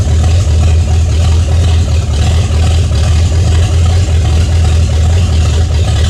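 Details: 1978 Chevy Nova V8 restarted after sitting 21 years, oil found nearly empty: steady, even low rumble with no knocks, ticks or misses; runs smoothly and healthy, still making 50 psi oil pressure.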